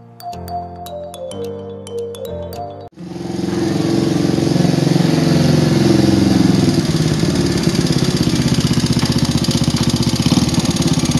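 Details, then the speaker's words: Old motorcycle engine running loud and coarse, rough clatter swelling with throttle blips, before any inspection. "Kondisinya bisa sama-sama kita dengar tadi, cukup kasar suaranya."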